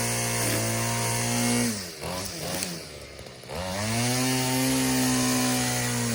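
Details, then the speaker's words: Yard-sale two-stroke weedeater: high buzzy revs die when it is tipped on its side, then climb back to a steady scream when tilted upright; cause unclear, owner suspects fuel pooling in the crankcase. "That's weird. You turn it on its side and it cuts off. You tilt it back and it revs up."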